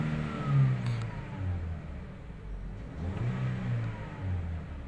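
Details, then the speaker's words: 2017 Toyota Vios 1NR engine after replacing one ignition coil for cylinder 3 misfire and first-gear jerking: pulls up cleanly through revs, smooth even note, no stumble or jerk; acceleration now normal. "start accelerate natin Okay na ang acceleration niya"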